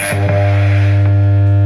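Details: Home theater amplifier with no woofer output, only a loud, steady low mains hum at one pitch and no bass coming through.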